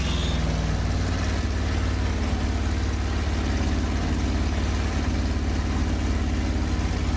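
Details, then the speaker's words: Newly built Pontiac 400 on the stand during cam break-in in cold weather: low, lumpy, uneven idle that never settles; the carburetor was sucking in a lot of air, fuel pooling on one side, none on the other. "That thing was sucking air in like you would not believe."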